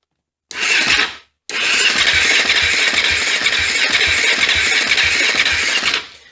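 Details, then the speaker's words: KTM 450 dirt bike not run for over 10 years, first start attempt: fast starter whir with regular compression thumps for about five seconds, never catches; compression present but no spark. "I'm checking for spark right here I've got the screwdriver right next to the head head bolt and looks like it's a dead soldier no spark at all"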